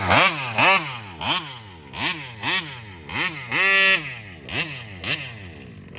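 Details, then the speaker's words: Taylor 35 cc reed-valve two-stroke with WJ71 carburetor in a Kraken Vesla RC, air filter clean: each blip rises briefly, then sags back, never getting up on the pipe; bogging at high rpm, owner suspects fuel starvation, possibly a plugged screen. "cuz I'm trying to figure out what the hell is going on with this cuz it it high RPMs it acts like it's starving out for fuel"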